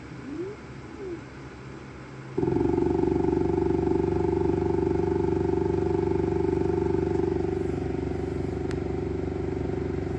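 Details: Saturn Ultra 4 16K resin printer: after print start, the build platform keeps rising with a loud steady motor drone and rapid knocking about four beats a second before resetting and printing.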